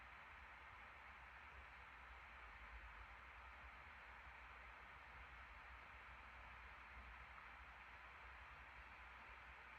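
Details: 2021 MacBook Pro 14" M1 Max 32-core, CPU (Cinebench R23) and GPU (Path of Exile) at 100% load, fans about 4200–4250 rpm, around 94 °C: steady even airy rush, no rattle, tick or wobble; normal full-load fan noise.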